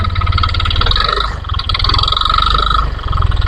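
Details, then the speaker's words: 2022 Yamaha New NMAX scooter, under two years old, idling with the mic held close. A fast, rough clattering knock with a thin metallic ringing above it; the CVT is to be checked as the source. "Jadi , masalah dengan motor ini adalah suara mesinnya kasar, teman-teman, kasar sekali."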